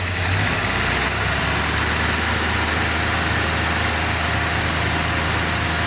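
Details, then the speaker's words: 1966 Chevelle V8 on new Holley 4160 carburetor replacing a shot swap-meet carb, first 20-second test fire before break-in: fires straight up, strong even idle rumble, steady beat, no stumbles, no leaks. "All right, that's just a quick 20 seconds there. Make sure the carburetor was working and there's no leaks."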